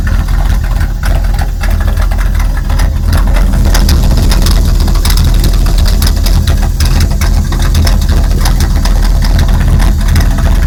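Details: 1999 Dodge Ram 1500 5.9 V8 idling out of gear: deep uneven rumble that lumps and stumbles; intermittent, only at idle, with a loud hiss from the top of the engine and a very rich smell.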